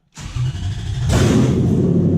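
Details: 2003 Toyota Hilux pickup with swapped-in 3UZ-FE Lexus V8 on Link Thunder ECU, first start after swap, power steering bled: starter cranks briefly, V8 catches and settles into loud, deep, even idle; normal start.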